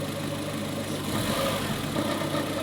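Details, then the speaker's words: 2021 Maruti Eeco CNG, 31,000 km, idling: rpm fluctuates two or three times when CNG is switched off, a gentle rise and fall rather than a steady beat; idle hunting blamed on a very dirty throttle body, to be cleaned. "और यह RPM fluctuate हो रहा है इसका जब हम CNG को बंद करते हैं तो दो तीन बार आरपीएम फ्लकचुएट होता [संगीत] है"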